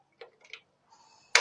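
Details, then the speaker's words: Gas stove ignition knob tested: a few soft clicks, then one crisp, loud snap as the knob reaches position; the click is strong and happens at the right point, so the knob mechanism is normal. "Nah, cetekannya kuat dan cetekan terjadi pada saat di sini. Berarti mekanisme tombolnya ini normal, sobat."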